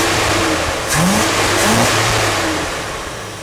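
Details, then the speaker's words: Pink big-block Chevy after cleaning the carburetor, no throttle linkage connected, air cleaner on: the engine catches and revs cleanly, pitch rising and falling smoothly with no misfire or stumble; it runs much better than before the carb cleaning. "Go see what it sounds like. Notice the air's on. It sounds a lot better. I think we fixed it."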